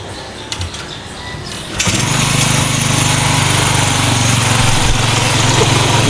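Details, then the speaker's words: Honda Supra 125 after engine rebuild with new valves and aftermarket camshaft: starts and settles into a fast, even idle, deliberately set high; smooth with no top-end ticking, healthy. "masih tinggi sekali ya memang saya bikin tinggi kayak gini karena ini kan posisinya ryen lah ya setang nya takut terlalu seret"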